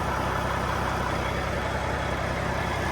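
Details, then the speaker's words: Cat 3406B diesel in a 1986 Ford LTL 9000 after an in-frame overhaul for coolant pushing and compression in the coolant. Rebuilt with an IPD kit (steel-top pistons, crevice-seal liners), new turbo and recored radiator. Steady, even idle with a smooth low rumble, no knocks or misses; running well. "Did great. Was running good. Pretty impressed with that new turbo, and sounds good and pretty cool."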